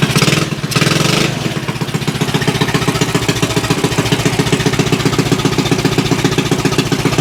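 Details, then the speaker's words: Axis M200 196cc mini bike (Coleman CT200U-EX clone), bought as a non-runner, first run after repair: the single settles into a quick, even popping idle without hunting, very loud through the exhaust, with no sign of air leaks. "All right. Engine sounds good on here. That exhaust is ridiculously loud though. That is awesome."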